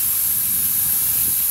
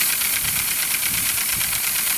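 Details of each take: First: 1978 Hornby G100 Stephenson's Rocket 3 1/2 inch gauge live steam locomotive, never steamed, boiler air-pressure tested to about 30 psi: steady high hiss from improvised connection into boiler, safety valve not venting (expected about 10 psi). Air leak at boiler connection. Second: 1978 Hornby G100 Stephenson's Rocket 3½-inch gauge live steam locomotive, 44 years old and never steamed, running on compressed air at first test: fast light chuffing, about three beats a second, with steady airy hiss; runs freely and sounds fine.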